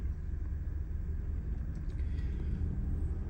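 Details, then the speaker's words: 2015 Ford Expedition at idle, new plugs and cleaned injectors: slightly uneven lumpy beat; scan tool shows mild constant misfire on cylinders 2, 5 and 3, sometimes worse; coils to be checked next. "तीन cylinder इसके miss fire कर रहे हैं। हल्काफुल्का mess fire है।"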